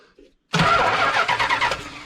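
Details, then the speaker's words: 1971 Plymouth Satellite barn find with Edelbrock 1406 carb, in park: starter spins with quick chugging rhythm then stops without catching; cranks but no start, spark and compression present, only one carb jet squirting fuel. "definitely getting fuel one jet is squirting this side is not got fuel we got spark sounds like we got compression why don't we have an engine that runs"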